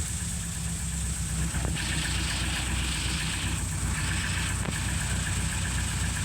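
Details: 1936 Rover 12 tourer, about 90 years old, first start in March after three months' winter layup, head cleaned last year, about 7 °C outside: slow steady idle, even beat, faint high hiss, no knocks or misses, oil pressure 20 rising toward 30; normal cold idle.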